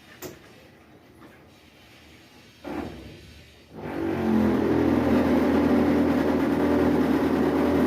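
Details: Brastemp 15 kg washer (BWB15/PWA15) making a loud steady buzzing drone as water starts filling after a quiet start.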